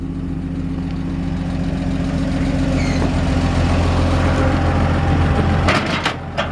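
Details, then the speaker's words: 1947 Chevrolet 3100, original 216 six-cylinder converted to 12-volt: smooth, even idle with audible lifters and no knocks or misfires; healthy engine, a slight squeak possibly from the belt. "But you can just hear the lifters in there. It's just nice and healthy."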